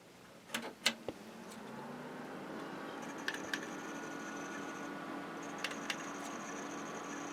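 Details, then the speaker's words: CompUSA desktop PC from 1999 with 256 MB RAM at first power-on: light clicks, then a low hum rising in pitch over about two seconds to a steady whir; normal hard drive or CD-ROM spin-up. "it sounds like there's a hard drive in it must be the cd-roms"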